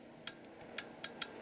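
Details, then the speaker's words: Yaesu FT-450 transceiver: five sharp, dry uneven clicks from the transmit relay on keying, but no transmit output at all, not even driver level; owner suspects bad relay contacts keeping it from going into transmit rather than burned-out finals. "what I've noticed is when I go in to transmit right look at this there's nothing nothing at all and what I hear clicking is this relay right back here"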